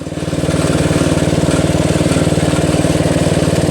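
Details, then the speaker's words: Toro Wheel Horse 825 riding mower, Briggs 8HP, after new battery, replaced carburetor, throttle and choke linkage attached, air filter base and cover refitted, oil and gas added: steady even single-cylinder thump at constant speed, no misses or surging; works fine. "replaced the carburetor, attached the throttle linkage and choke linkage, replaced the air filter base and cover back on there, put oil in it, put gas in it, and it works just fine."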